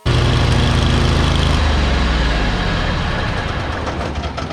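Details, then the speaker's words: Cub Cadet GTX 2100 lawn tractor with front-drive PTO, mowing after replacing the PTO belt that broke when the blades jammed in tall grass: engine pulls steadily, then eases under mowing load, no belt squeal or slap; PTO drive healthy. "Looks like it's working. And that's the guy that does a better job of mowing than I do."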